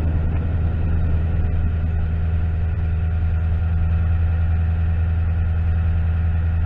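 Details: 2009 Toyota Tundra V8, 110,000 miles, after repairing rodent-chewed knock sensor wiring harness causing VSC, check engine, traction lights and limp mode: deep steady even low rumble at idle, no misses or knocks; lights went off. Normal idle.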